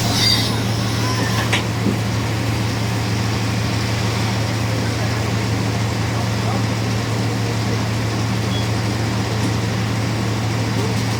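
Constant low hum sits over the road and engine noise while driving, a steady drone pointing toward the rear axle. Cause suspected, not confirmed.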